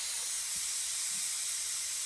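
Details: Air compressor being converted to silent running; escaping air gives a constant high sharp hiss, probably at a loose fitting, while testing the theory that a leaky unloader valve was the problem, its outlet temporarily plugged with a rubber foot; now working.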